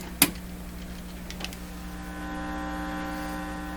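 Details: Electrohome Cosmic tube radio with weak output, distortion and poor AVC, signal tracer on audio: loud steady low buzz with brief clicks and no program audio; mains hum, cause suspected, not confirmed.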